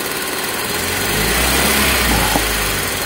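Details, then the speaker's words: Toyota Soluna after replacing the spark plug wires: engine idles evenly with a smooth, stable exhaust beat, no more misfiring (brebet) or limping; the earlier blub-blub rhythm is gone and combustion sounds normal. "ini untuk mesinnya udah hidup dan ini udah enggak pincang lagi ya enggak merebet lagi"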